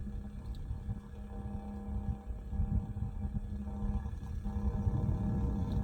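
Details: Bison hand water pump, low droning groan swelling and fading shortly after pumping stops and water drains from the freeze line drain hole, mostly in colder weather below 50°F; cause unknown; groaning noise after pumping stops.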